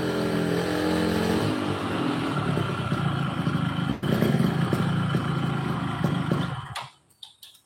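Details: Yamaha RX King two-stroke brought in for stumbling at low rpm, after work: crisp rev that rises and falls cleanly with the throttle, pulling evenly without stutter before shutting off; runs healthy.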